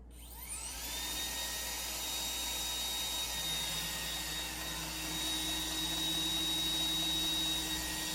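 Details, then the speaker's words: iRobot Roomba 985 after over a year of use, cleaning: steady high vacuum whir with a light tick roughly once a second; ticking started after it came back from the manufacturer, cause unclear. "So already you can hear that ticking, and that didn't start until after I got it back from Roomba."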